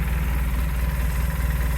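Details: Polaris Sportsman 600 twin ATV idling after repair from non-running and a battery terminal fix: a steady, even low idle with a smooth pulse and no wobble, knock or rattle. Nothing wobbling, running healthy.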